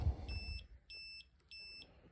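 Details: Kimi 3-wheel kids' electric scooter that won't run, brake switch already hardwired out: a short run of high, even beeps, about three bursts in two seconds, repeating from the controller; fault beeping, owner suspects the control board.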